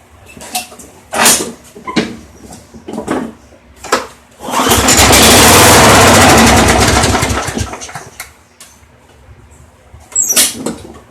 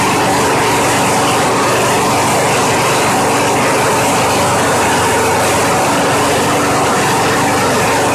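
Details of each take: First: Craftsman mower model 917.388113: a few pulls, then it catches and runs about four seconds before dying. The carburetor is not drawing fuel, though the primer bulb seems to work: starts then stalls from fuel starvation. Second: Craftsman mower model 917.388113 after carburetor cleaning cleared a fuel blockage: loud, steady small-engine drone at even speed, no misses or surging; starts right up and runs cleanly, normal running.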